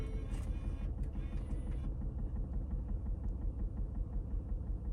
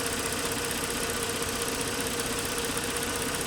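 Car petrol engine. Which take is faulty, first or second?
first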